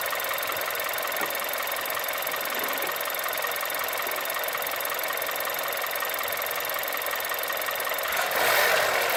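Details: 1.2 TSI engine knock while revving: rough metallic tapping two to three per second over a thin engine note, rising with revs; knock from inside the engine.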